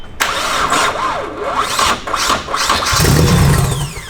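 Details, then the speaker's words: VW MK6 GTI after finding why front components had no power: cranks, catches, settles to fairly steady idle with quick throttle blip; misfire gone, only slight breaking up. "butter, dude. No more misfire. It's breaking up a little bit, but it's not misfiring."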